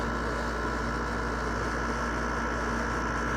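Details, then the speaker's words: LG window air conditioner in cool mode at the lowest temperature setting, fan on: a smooth, even compressor hum with a steady low drone and no knocking or rattling. The compressor runs normally and blows cold. "It's really cold. Look at that. Compressor's on, so that's good."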